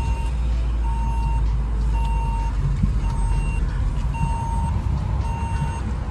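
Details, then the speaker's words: 2014 Vauxhall Corsa VXR on first drive, steady one-second mid-pitch seatbelt reminder beeps over engine and road drone until buckled. "let me put my seat belt on stops that moaning doesn't it"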